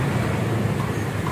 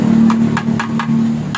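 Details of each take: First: Honda Vario scooter exhaust after removing the front muffler baffle layer that caused vibration buzz: steady, even low drone with no rattle or vibration, normal quiet exhaust sound. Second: Honda Vario with original, unmodified exhaust: a steady engine hum with a hollow tapping rattle in bursts as revs rise, a vibration felt while riding; a loose baffle rattling inside the muffler.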